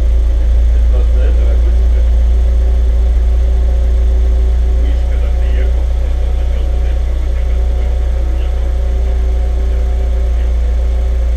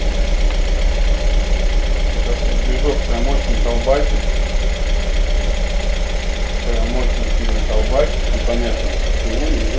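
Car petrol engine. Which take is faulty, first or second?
second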